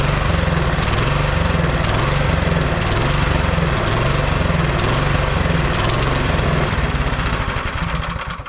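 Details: Neglected MTD Yard Machine 22-inch snowblower, about 5 hp, 179 cc single-cylinder: the roar swells and sags about once a second (surging), then fades and dies when the choke comes off. Carb cleaning is planned.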